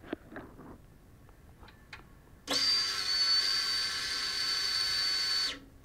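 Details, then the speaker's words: Motorcycle key inserted in ignition with a homemade electronic stethoscope microphone: light clicks as the tumbler pins move, then a steady high fuel-pump whine for about three seconds as it primes normally before the bike starts. "so what you just heard was the key going in the ignition and every single Tumblr pin moving out of the way and then you can hear the whine of the fuel pump and then the bike starting"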